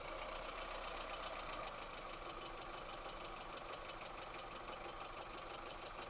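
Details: VAZ 2108 1300cc engine at idle: a light, quick ticking about three a second over a steady idle; head removal showed large play in two exhaust valve guides, with damaged camshaft bed, causing the valve train knock.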